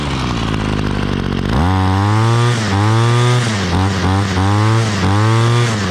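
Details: Two-stroke string trimmer fires up and revs cleanly up and down with the throttle, crisp and even with no stumbling; running healthy.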